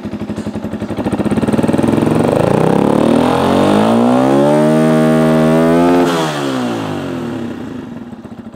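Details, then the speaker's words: Dirt bike, cold, choke off: fast single-cylinder idle, revs rise then sag and the beat slows unevenly; idle getting low, further adjustment needed. "it's getting a little low see oh let's see you might still have some adjustments we need to make"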